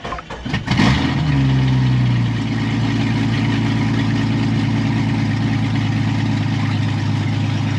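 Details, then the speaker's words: Cheap old Jeep with automatic transmission: catches, flares, then settles into a loud, deep, rumbling idle with little damping; exhaust sounds broken, perhaps no muffler. "Chuck this thing sounds like you've got no Muffler bro this shit's broken"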